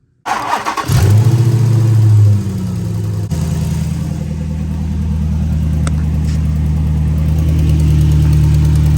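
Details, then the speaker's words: 5.7 Hemi Dodge Charger/Chrysler 300, warped exhaust manifold, after new gasket and bolts tightened but before resurfacing: engine cranks, fires and idles with a quick steady puffing tick on every firing pulse, exhaust manifold still leaking. "Okay, I'm gonna start it up, and even though I put a new gasket on and I tightened the bolts down really tight, there's still a leaking exhaust sound."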